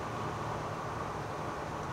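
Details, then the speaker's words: 1965 Malibu SS Muncie four-speed after repair (too much play fixed with shims): coasting in fourth gives only even road rush, no gear whine or clatter; the earlier fourth-gear coasting noise is gone. "let's go through the gears again here I have deceleration no noise acceleration no noise coasting"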